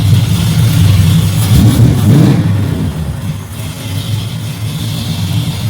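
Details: Engine with rebuilt Holley carb after fuel pressure regulator problems and carb loading up: revs up, then settles to a steady, even idle with no stumbling or hunting, starting on first key bump; healthy idle.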